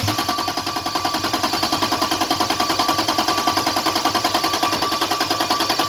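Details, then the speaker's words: Toyota Cressida with 2JZ engine swap and LQ9 coils: fast even cranking about three and a half beats a second, never fires; no fuel because an unconnected harness plug supplying injector power was missing, with coil power also missing. "one thing I was missing there's this bf2 or three plug that needs power for the injectors that's why I wasn't getting any fuel"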